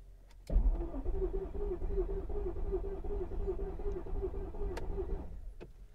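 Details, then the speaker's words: Mercedes S55 AMG cranking after a new fuel pump and fuel filter, with a jumper battery for extra power; the starter churns steadily for about five seconds but the engine never fires and the fuel pump may not be running, a crank with no start. "i don't think i hear the fuel pump let's see here"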